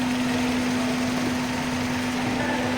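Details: Old Hyundai Verna with CNG fitting, after fuel pump relay and wiring check, now starting well on petrol; smooth, even idle with a steady hum and no knocks, misses or hunting.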